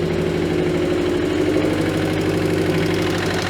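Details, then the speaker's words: 2015 Subaru STI, EJ257 engine with 8,000 miles, salvage auction car, first start attempt after all the work: rough idle with deep, uneven knock about three times a second under the engine note. Rod knock; engine later pulled and rebuilt. "Oh no. Well, that's disappointing. All that work and we have rod knock. 8,000 miles on the engine. Rod knock."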